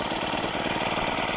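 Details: Honda WJR4025 backpack sprayer with GX35 four-stroke engine, just started from cold after choke opened: quick, steady idle beat with no misses or surging, running smooth and even.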